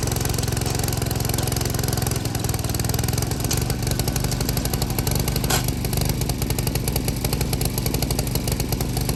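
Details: Vintage MTD tiller 218-430-205, 5hp Tecumseh single, carb air cleaner missing, frozen throttle cable: even steady putter held at low throttle, no misses or knocks; normal low-throttle running.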